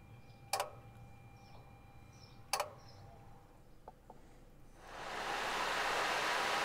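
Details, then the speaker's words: Nissan with IPDM (no relays), engine bay during Auto Active Test: sharp single clicks a couple of seconds apart as A/C compressor clutch engages five times, then steady radiator fan rush; clutch engaging normally. "so i'll shut up for a second so you can hear the ac compressor clutch engaged the five times"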